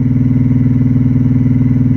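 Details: Ciclotron Pop Line 350 amplifier head: loud, deep "helicopter" hum throbbing about fourteen times a second, from a failing filter capacitor in the preamp power supply; fixed by replacing it.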